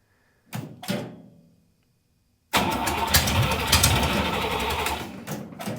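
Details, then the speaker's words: Buick Nailhead V8 in a vintage rail dragster, started after a carburetor change with only the front two barrels linked: two short cranks, a pause, then it catches into a loud, choppy open-header idle. Normal idle. "holy sholey that's loud holy shimley that's loud damn bro that's uh that's all we need that's good"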